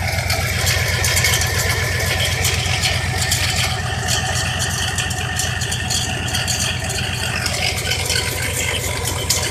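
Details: 1990 Cadillac DeVille V8 idling with an uneven, rattly beat about four pulses a second; misfires and bogs with no power under throttle despite new cap, rotor, plugs, wires, battery and starter; owner suspects a bad alternator, unconfirmed.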